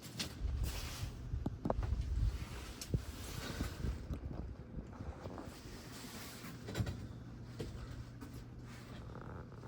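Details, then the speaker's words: Aloha Breeze ceiling fan from August 2005, on high at only about 130 to 140 RPM: low rough rumble with scattered scratchy clicks from worn motor bearings. "You can hear those bearings in there. Scratchy, clicky sound."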